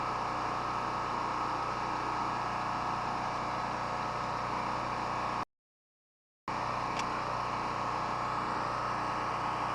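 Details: Honda-clone generator (made in China) with a Champion plug (possibly J11) and oil changed twice to Castrol GTX 10W30: steady, even hum with no misses, knocks or surging over the whole run; running healthily.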